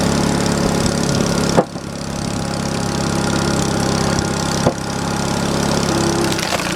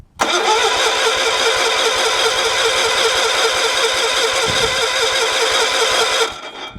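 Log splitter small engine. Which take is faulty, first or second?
second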